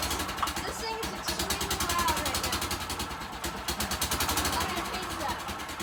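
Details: Golf cart engine before repair, started after checking the fuel was on: harsh, loud, rapid popping exhaust beat with raspy chuffing from the blown exhaust gasket; the exhaust pipe is double-nutted because it keeps falling off.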